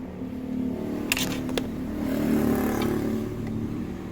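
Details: New Honda Stylo scooter under 300 km, after fitting rubber pieces to stop a rear metallic rattle when throttling. Idles and blips smoothly with only a couple of stray knocks, no steady rear rattle.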